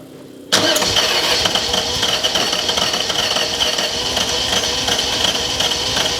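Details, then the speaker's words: Ferrari 308 GTS, freshly rebuilt V8 back in the car, first start in about four years after cranking to build oil pressure; brief crank, catches quickly and settles into a steady, even idle with no knocks or misses; normal start. "oh well that wasn't a bad start from nothing crikey we just need some more pressure let's go again"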